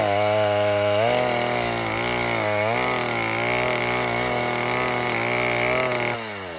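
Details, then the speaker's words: 1960s Stihl 08S two-stroke chainsaw, about 60 cc, cutting firewood after richening high jet further: high steady scream sags and wobbles under load before dropping off; over-rich high-speed mixture, adjustment turned back. "That last adjustment was too much. We'll turn it back."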